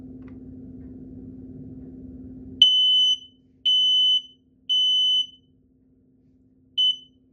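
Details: Brand-new-in-box 1276 smoke alarm on its self-test: low hum, then loud high-pitched beeps in groups of three with a pause between; fully working alarm.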